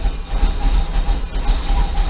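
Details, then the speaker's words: 1994 Corvette that ran great before Seafoam: won't idle and dies when the throttle is pressed, lumpy, uneven and choking for fuel; spark plugs being changed; fuel filter suspected next, owner fears the Opti-Spark. "no I can't even get it to idle and when I hit the gas pedal it it just dies"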